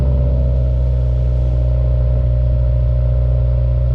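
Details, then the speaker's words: Subaru WRX 2015+ at idle after spark plug replacement at 50,000 miles, new plugs gapped to 0.032 and torqued to spec; steady even low rumble, idle a little better, no misses. "now the only thing i got to do is start the car make sure that it sounds good idle's a little better"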